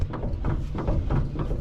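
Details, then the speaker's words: 1968 Ford Bronco, steering rocked back and forth: dull clunks about twice a second; track bar loose, knocking in its mounts, and mounted too slanted. "This tie rod or this track bar is clunking back and forth. So that's moving around a ton."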